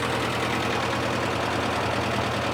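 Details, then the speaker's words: 1955 Massey Harris tractor, previous owner couldn't get it running, running after fresh plugs, wires, oil and filter: dense, uneven clattery chugging at steady idle. Owner suspects worn rings, seals, head gasket leaks or even a cracked block; seemed a little better at first. "the tractor it's most likely worn rings seals head gasket leaks something like that maybe even a cracked block"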